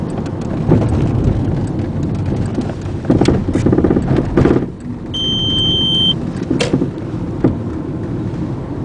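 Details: 2000 Volkswagen Jetta 2.0: dull clunks and rattles from the rear driver's side over steady road noise when going over bumps and sometimes during braking; cause unknown.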